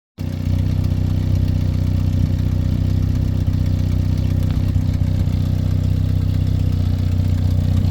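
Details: 1979 Toyota SR5 petrol truck idling with a loud, raspy low rumble and a rough puffing edge from an exhaust leak.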